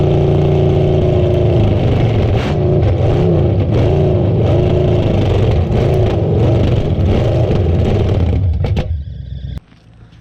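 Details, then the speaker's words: Old revived car engine fired up after sitting, oil, Marvel Mystery Oil and PB put down the cylinders, burning off smoke; fires and revs up and down in smooth swells with steady firing, then shuts off; sounds good, normal running. "her fire up last night i know y'all couldn't see it too good but she did fire up she's sounding good"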